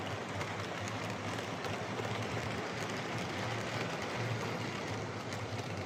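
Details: Hornby R2329M Britannia Class "Dornoch Firth" OO model loco on layout: steady whirring whine over wheel and rail rumble; noisy motor, owner thinks it may ease with running, cause not confirmed.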